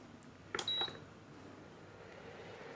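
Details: Induction cooker with the earlier plate put back on: short cluster of sharp high beeps near 4 kHz in a quiet room, then silence; it won't switch on and shows an error code; no-pan detected beep.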